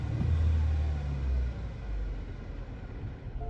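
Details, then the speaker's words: 2012 Chevrolet Cruze 1.4 with no compression on cylinder 4, flashing engine light: rough, lumpy low rumble at idle that barely picks up when revved, uneven beat throughout; misfire from a dead cylinder, later fixed by engine replacement. "so that is what a chevy cruze 1.4 sounds like when there is no compression on cylinder 4."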